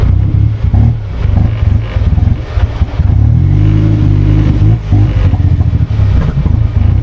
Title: Troubleshooting Goblin Misfire